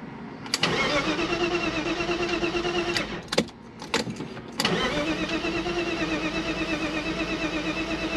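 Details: BMW E36 325i, ECU and crank sensor ruled out, spark previously lost, fuel pressure gauge inline at the fuel rail feed reading about 70 psi (5 bar): steady starter cranking, pause, cranking again, never catches; crank no start.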